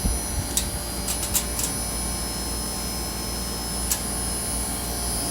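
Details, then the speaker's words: 15,000 inverter air conditioner compressor running: low, steady hum with a faint high hiss, no knocking or rattle; pressure rose from 120 to 130 and varied with demand; running quietly and normally. "Increíble. La verdad que es una navecita. No tiene ni un ruido. Apenas."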